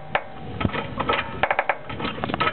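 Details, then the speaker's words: 2000 Honda Civic with KYB GR2 struts, Eibach Sportline springs and a Skunk2 camber kit, jacked up slowly: irregular dry creaks and groaning pops from the upper strut/spring area, also heard on driveways and big bumps. Owner suspects the springs or camber-kit bushings. "as you can tell is definitely coming from something in this area I don't know if that's just the noise my Springs will be making these are Eibach Sportline Springs and gi2 struts or if it's some kind of bushing issue on the camber kit"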